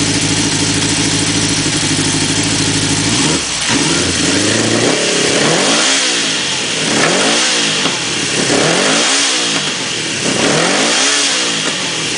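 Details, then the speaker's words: 1976 Honda CB750A automatic after changing the ignition points, which had it running a little rough: starts to a steady idle, then repeated smooth even blips, no misses or knocks; normal running. "it was running a little rough and I decided well hell I got changed in points let's fire this thing with the games I think that sounds pretty good"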